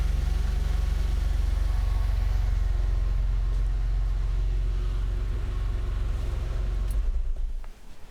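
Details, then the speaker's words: Porsche 911 bought from Copart with "burn" damage and listed as not running, first key turn: fuel pump audible, then a low, even flat-six idle with steady rumble, no knocks or misses, until shut off, running smoothly despite the airbox not being fitted; normal idle. "Okay, fuel pump. I can hear the fuel pump now and everything. But it's not knocking What on earth is happening?"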